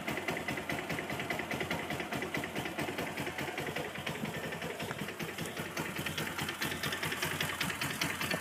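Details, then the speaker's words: Kawasaki at idle: a quick, steady light knocking at about two to three beats a second over a thin buzzy engine note; owner suspects the clutch, either sliding on the crankshaft from a worn washer or a bad clutch bearing, unconfirmed. "I've looked up a lot of things and I'm 100% sure it's the clutch. And the way the clutch makes that sound is either by it sliding left and right on the crankshaft, because apparently there's a washer on there that gets worn out over time or something like that, or the clutch bearing is bad."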